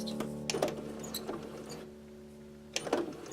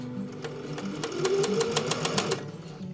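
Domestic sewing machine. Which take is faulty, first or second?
first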